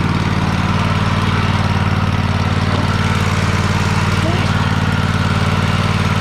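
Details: Free Troy-Bilt riding mower, started with help while the carb shut-off solenoid clicks, needing a solenoid: even, steady twin-cylinder thrum at constant speed, regular firing with no misses, knocks or surging. It moves in reverse, though the belt smells burning and is possibly the wrong belt.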